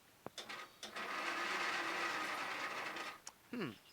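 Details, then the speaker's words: Troy-Bilt Super Bronco 17.5 HP lawn tractor cranking with spark plug removed after overnight battery charge (12.7 V): starter whirs about two seconds, sluggish rather than brisk; owner suspects very weak battery. "is faster but it's not like you know very weak very weak battery so even after the battery's been charging overnight"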